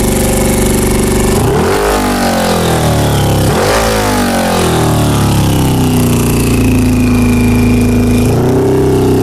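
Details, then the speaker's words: 2000 Honda CBR600 four-cylinder with carburettors, revs blipped and held: it sags and nearly dies below about 1,500 rpm with very poor throttle response and slow starting; carb cleaner sprayed on all four intake boots showed a bad vacuum leak, boots to be replaced. "so right now this is what it's doing it's like fogging out"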